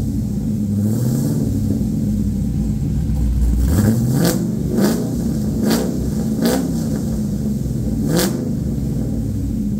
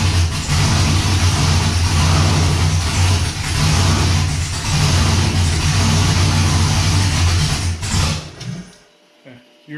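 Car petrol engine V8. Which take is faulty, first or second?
second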